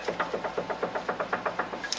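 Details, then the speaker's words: 2011-2019 Hyundai Sonata, driver's side sway bar end link: rapid sharp clunks about seven a second as the sway bar is pulled down by hand from underneath; play in a worn end link joint. "that play is coming from one of these joints on this sway bar end link so again you're gonna grab your sway bar like this and you're just gonna pull down and there you really hear that noise"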